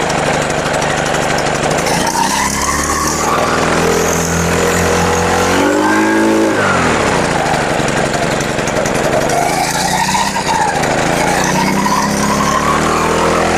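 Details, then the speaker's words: Brush cutter after winter, started on the second day after carburetor needle adjustment plus fresh fuel: small four-stroke revs up and down smoothly without stumbling; running healthy. "Ану, заводиться. Так, значить, дивіться, тут конкретно довелося ще б підрегулювати голку карбюратора."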